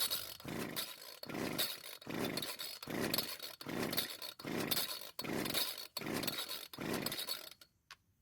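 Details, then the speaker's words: Old Homelite string trimmer, tried with the choke off after possible flooding; fuel lines may have been reversed. Eight rasping pull-cord strokes and it never fires; the owner wonders whether the carb works, and the spark plug gap was later found too large. "So yet again, it didn't start. Now I have to wonder if the carb is even working."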